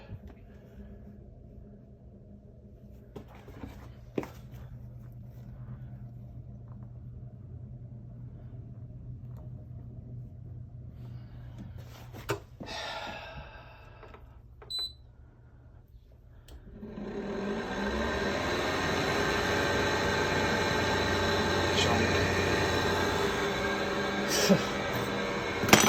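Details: Ten-year-old air conditioner that just began making noise: after a quiet low hum, the fan starts loud and rough with a grinding rasp and high whine from badly worn motor bearings.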